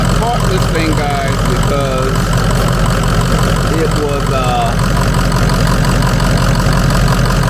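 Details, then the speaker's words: 2003 Ford Excursion 6.0 Powerstroke diesel after sitting 2–3 years, just cranked up: steady, even idle clatter under background music, no misses or knocks, sounds healthy; owner suspects a leaking water pump and alternator fault (battery light on). "Let's hear how she sound. You know, let's hear how she sound. Okay. Woo. Sounds pretty good. She sounds pretty good, guys."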